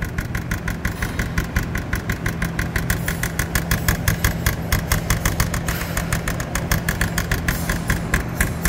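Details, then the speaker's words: Toyota SW4 3.0 2010, 187,000 km, idling: fast, regular metallic rattle at the hood, like loose sheet metal buzzing; body or glass noise suspected, not confirmed. "Chegamos aqui agora e olha o barulho tá aqui no capô é aqui no capô escutem escuta parece ir lá dentro né"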